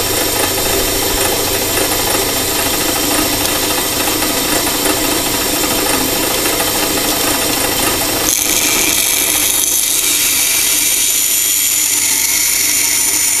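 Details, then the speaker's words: Band saw cutting a tight curve: steady high blade hiss, then around eight seconds a harsher, brighter rubbing sound joins as the blade binds instead of rattling. "so again the tool likes to go straight instead of the rattling you're gonna hear it binding hear that extra sound but i can make a pretty tight tuck"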